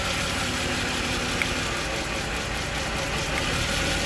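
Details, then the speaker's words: Jaguar XJ40 XJ6 4.0 Sovereign idling with an uneven, lumpy beat and stumbles; water was found in a spark plug well, and pulling plug leads changes the engine note, confirming a spark plug misfire. "Take that one off, it's the same. And then it tries to fix itself. But it can't. So it's definitely a spark plug problem."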